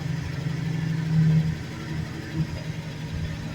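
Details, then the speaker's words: International engine just after a choke cold start following six months of storage, about 40°F; settles into a steady low idle with the earlier lifter clatter already gone, good oil pressure, charging, running well. "Think it's running good. Start up pretty easy."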